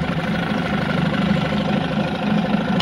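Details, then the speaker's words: 15 hp Evinrude two-stroke outboard, short shaft, tiller, manual shift, pull start, idling in forward on a test tank after a carburetor cleaning for a no-idle complaint: steady, even, smooth low burble with no misses or surging; now idles normally. "This sucker right here, 15 horses. She's ready to go. Test it forward, so you're idle."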